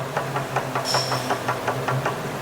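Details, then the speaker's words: Proton Exora CPS that shudders when first driven off; quick even knocks about four a second over low hum from play in the worn inner CV joint of the driveshaft. "Okey untuk kes-kes macam ni sebenarnya simptom dry sharp kepala dalam"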